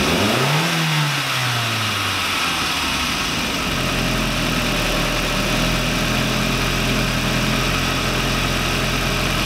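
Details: VW Lupo 1.8T first restart after engine failure, rebuilt with H-beam conrods, new bearing shells and 2 mm thick head gasket: quick rev rising and falling cleanly, then smooth steady idle, no misses or rattles; runs very well.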